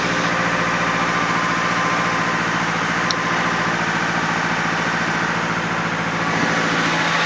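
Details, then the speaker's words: Car sat almost a year; its 5-year-old battery, once at 0.75 V, was revived by charge/discharge cycles and cranked it many times to start. Steady, even idle with a smooth, regular pulse, no knocks or misses: engine running cleanly. "well there you go folks 0.75 volt sitting for almost a year and you heard how many times it was cranking over getting this car started a few times"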